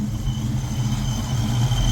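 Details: 1995 Mustang GT in July Texas heat, just after an oil change to Valvoline VR1 20W50 plus a quart of Lucas. Paxton Novi 2000 supercharger at 8 psi, GT40 heads, hydraulic roller cam, long-tube headers. Deep, even V8 idle with no knock or tick; normal idle.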